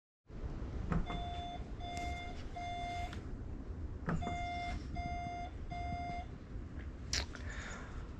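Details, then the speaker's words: 2015 Tesla Model S in a home garage, rear hatch latched but not cinched down by the failing cinching actuator: groups of three short mid-pitched beeps repeating every few seconds as the car warns the door is open. "where it's latched but it doesn't pull itself down and the car just continues to beep at you because it's not actually fully closed"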